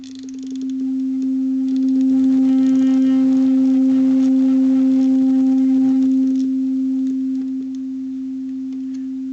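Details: Boomshaker Bluetooth speaker after repair, rotary control refitted, signal generator tone over Bluetooth: steady pure low tone near 250 Hz swells, holds, eases down as control turns; plays cleanly, volume control works.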